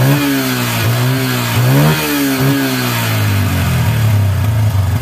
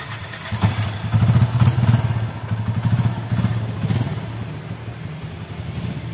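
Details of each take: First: Yamaha Bison with misfiring, popping and black exhaust smoke, after plugging a failed, stuck-open carburetor membrane with flip-flop rubber: revs rise and fall with irregular pops and cracks through the exhaust as the throttle opens; still backfiring. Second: Yamaha Bison motorcycle that stumbled, backfired and blew black smoke; after the carburetor air screw was turned fully in the backfiring stopped though it sounded rich. Low, steady thumping idle around four beats a second, no misses or popping: idle now fine, but still poor when riding.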